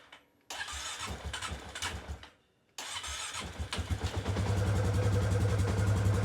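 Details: 2019 Polaris Sportsman 570 X2 after a top-end rebuild, fuel pump primed, first start; two bursts of cranking, then the single catches and settles into a steady, even low thump; clean, healthy start.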